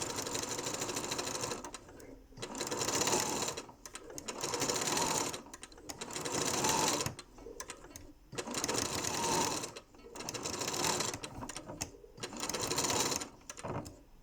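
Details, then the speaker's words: Janome Memory Craft 6700P sewing at maximum speed: fast stitching with a harsh clattery knock in time with the needle, as the bobbin jumps inside and the shuttle twists out. Bobbin case knocking. "так сейчас начну шить послушайте как оно стучит и как прыгает шпулька внутри"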